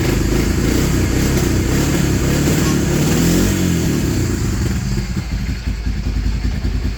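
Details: Honda Fortrax 300 ATV, previously a no-start, after adjusting the idle: steady, even idle with a smooth low rumble, no misses or knocks; running cleanly and healthy.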